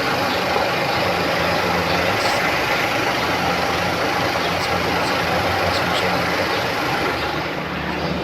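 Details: Geely Okavango 1.5L hybrid at idle: faint uneven knocking and rattle under the engine note from a worn dual mass clutch flywheel, to be replaced with a genuine part.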